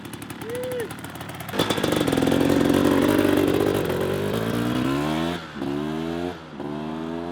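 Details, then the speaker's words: Rebuilt 1994 Kawasaki KX250 two-stroke on its fourth heat cycle, warmed up with radiators near temperature: crisp, clean revs climbing and dropping smoothly with no rattle or misfire; lots of power, everything sounding good. "this thing's got a ton of power everything sounding good everything's rotting good"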